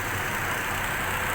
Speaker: بنلاحظ كيف في تردد في دورة المحرك، عم نشوف كيف تردد انه كان المحرك عم باخذ وعم بعطي.